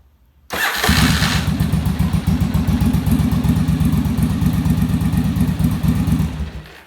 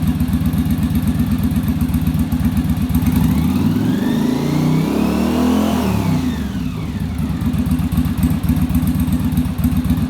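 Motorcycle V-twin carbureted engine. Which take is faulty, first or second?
first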